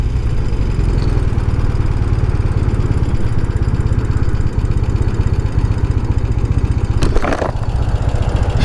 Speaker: Listen to that idle. Barely hear it. Man, it's smooth. I just don't remember this thing being that smooth.